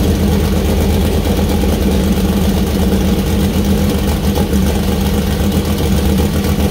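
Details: First start-up of freshly assembled 2000+hp LS (Dart LS Next block, Brodix BR3 heads, .750 solid roller cam): deep loud V8 idling strong and even, no knocks, ticks or misses; healthy, small oil leak at cam-driven fuel pump and water leak.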